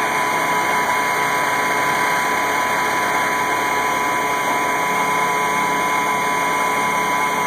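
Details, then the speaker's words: 1986 AM General M35A2C diesel truck, 7,331 miles, 260 hours, started at 26°F after about 3 months unused: steady, even diesel clatter at idle with no misses, knocks or surging. Normal idle. "Starts right up. I haven't started this truck in probably about 3 months. It's 26 degrees and yeah, like I said, she starts right up every single time."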